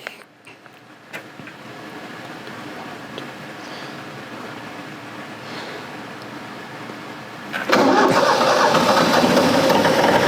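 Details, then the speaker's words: 40-year-old Kubota F2000 front-mount mower diesel, brief run after oil change with 3.1 L Rotella T6 to check oil level: quiet, then catches and settles into steady, even idle with no knocks. Normal start and idle. "Alright, so we'll go ahead and run it for a few seconds so we can check the oil."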